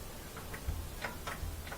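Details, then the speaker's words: Kenmore (Whirlpool direct-drive) top-loader washer that won't spin, new lid switch installed: a few light, crisp ticks as the lid comes down on the actuator; switch engages cleanly, normal click. "okay let's make sure we eat the click this thing's gonna come down hit there"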